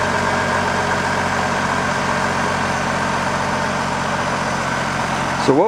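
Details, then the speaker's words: Idling engine with a thin, steady squeak from a worn serpentine belt slipping on its pulleys. Lubricant on the groove side stopped all the squeaking, which confirmed the belt. "this is a worn belt issue um and it is uh slipping on some of the major pulley"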